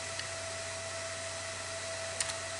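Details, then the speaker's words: Old desktop PC during Windows 10 install: steady airy whoosh with faint constant whine, CPU cooler fan running at almost 6000 rpm; calmed after adjusting fan speed in BIOS. "you hear that fan it is actually going freakin nuts the fan is running at almost 6000 rpm right now"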